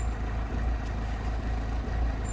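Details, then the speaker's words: 2005 Citroen C3 HDi XTR diesel bought unseen: rough running with a loud clattering metallic knock over idle, like a bag of spanners, felt inside the car; heavy diesel knock, cause not identified. "Um, and it sounds like a bag of spanners, doesn't it?"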